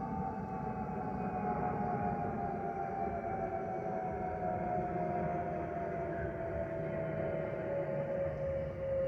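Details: Airbus A320-232 cabin in flight, a steady whistle around seven hundred hertz drifting slowly lower over the cabin rumble; the fuel overpressure protector (FOPP) cavity whistle.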